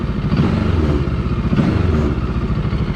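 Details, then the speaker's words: JEDI K750 motorcycle, engine similar to a Kawasaki design, light throttle blips at standstill: loose, tinny clatter from the bodywork, likely from earlier crash damage and disassembly; engine response quick. "发动机的响应是比较快的，但是能够听到这个车壳是有一些异响的。当然，这个异响很有可能是来源于因为之前撞过，然后又拆过。"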